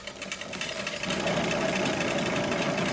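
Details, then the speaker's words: Trek Rail e-bike on stand, rear wheel spinning: gritty, rough rumble with steady hum and quick pulsing beat from worn bearings in the rear hub; replacement part is a Bontrager DC-3248 Shimano freehub body. "so that's that other sound that you can hear uh is basically rumbling of the bearings in the hub you can actually hear it it sounds absolutely dreadful and there's definitely something going on uh in there in the hub you can hear it rumbling that noise there"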